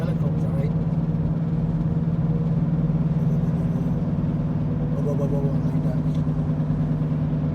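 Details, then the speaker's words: 2014 Ford Escape at about 90 km/h, noise from 80 km/h up, louder turning left: steady low drone with slow throbbing pulse like a helicopter under road noise; mechanic diagnosed worn driver-side front wheel bearing. "now if your car have the same problem with this the same noise it might be the wheel bearing"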